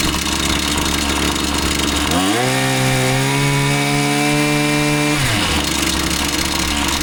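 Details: Husqvarna 525PT5S pole saw two-stroke, after carb refresh and ignition coil replacement: idles steadily, revs cleanly to a high even scream without bogging, holds it, then drops back to smooth idle; healthy, bog gone.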